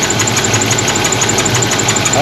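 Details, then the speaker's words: 1977 Pontiac Trans Am 4-speed, water in the breather and very dirty oil: a sharp light tick about six per second over a rough, missing idle from a rocker arm under the valve cover on a cam lobe going flat. "But anyway, under this valve cover right here, this rocker arm right back here, there's a cam going flat."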